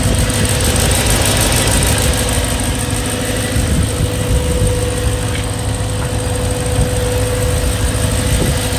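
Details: BMW E92 M3 S65 V8 at 65,600 miles, oil changed 300 miles earlier: fast, light ticking over an even idle, keeping pace with the engine; louder cold, still present warm. Source unclear.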